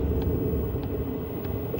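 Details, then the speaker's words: Gas-powered diesel camping heater running normally on the DC side only, after the AC side is switched off. A steady low combustion rumble with a soft fuel-pump tick about every half second. "Don't know if you can hear that or not, but it's still running."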